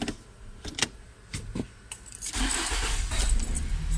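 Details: Nissan X-Trail with intermittent no-start, after lubricating the shifter linkage: keys jingle, short crank catches straight away into a steady idle, starting cleanly.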